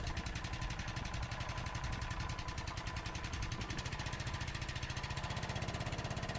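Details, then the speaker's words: Stiga Park Senator riding mower, test run after refitting renovated hydrostatic transmission, sat dismounted a couple of months; starts immediately, quick even thumping at steady speed with no missed strokes; engine running normally. "And it actually starts immediately, so no problem there."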